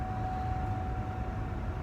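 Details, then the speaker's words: Pontiac Grand Prix with a newly replaced heater blower motor: steady low rush with one constant faint tone, no ticking, rubbing or squeal; blower runs smooth and quiet. "Let's see, he said he put a new blower motor on there. Yep, new blower motor. Y'all hear it? Ain't making no noise."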